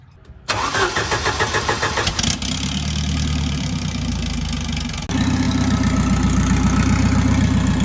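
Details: Built turbo Volvo wagon drift car on MegaSquirt, after fixing a miswired engine harness firing order: engine catches and settles into a steady, even idle with a firm low rumble, no misfire or stumble; running cleanly.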